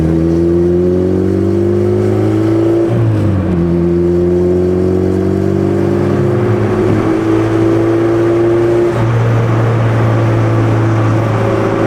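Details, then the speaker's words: Turbo B18C Honda Civic during rolling pulls: revs climb smoothly then stumble and drop sharply around 4,000 rpm repeatedly, going "ba ba ba" like a rev limiter; engine breaking up under load, cause unknown to owner. "Interesting, I don't know if you guys were able to hear that, but the car was breaking up during the rollers and it seems like the car has like a rev limiter right now at like 4,000 RPM. I was just kind of like getting into it and then every time it would just go like ba ba ba ba ba at 4K."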